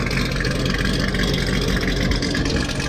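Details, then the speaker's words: Corvette with a Customs rhyme cam idling just after start-up, before warm-up: choppy, lopey race-car idle whose rhythm holds steady without rising or falling; V8 idles fine, no surging. "sounds like a race car so it sounds like the cars idling fine it's not surging we're gonna let her warm up a little bit see if anything changes"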